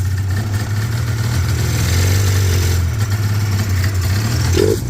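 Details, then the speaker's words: Yard-find Polaris 500 Indy snowmobile on a makeshift fuel system, likely a parts sled: low, steady two-stroke burble at idle; it idles but will not take throttle. "Does it idle? Yeah. Doesn't take throttle at either"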